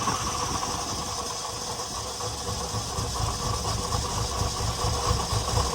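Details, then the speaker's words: Nissan 300ZX engine at cold idle with an uneven stumbling pulse about twice a second under steady hum, shaking badly and wanting to stall; misfire that idles better once revved and warmed. "Um, some engine shaking pretty bad. Um, but once if I rev it and once it warms up, it actually starts to idle a lot better."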